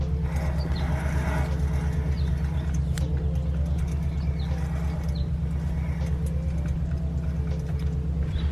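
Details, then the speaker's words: 1999-06 Chevy Silverado 1500 driving down the road: steady low crunchy growling drone from the front, a worn front wheel bearing/hub assembly, before replacement. "it's making like a little like crunchy slash grinding noise not grinding like a like kind of like a growling noise"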